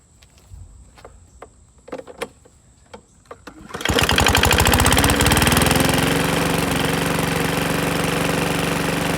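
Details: Curbside PowerSmart 21" DB2194PR push mower, RATO 170cc engine: pull-starts and runs fast and steady with hard rapping knock, clanky; oil fills top end and blows out exhaust on start, owner unsure if broken dipstick related.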